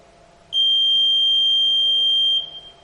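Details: Electronic voting machine control unit during a mock poll with two votes cast: one steady high-pitched beep lasting about two seconds when the Total button is pressed to display the vote count, then quiet.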